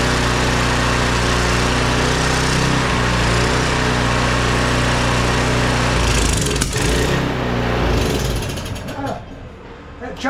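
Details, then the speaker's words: Briggs & Stratton 190cc pressure washer engine, stored for years, running after a carburetor cleaning: a small single-cylinder engine putters at a steady, even beat before fading at the end; runs smooth. "well she seems to run pretty good seems to run pretty good now"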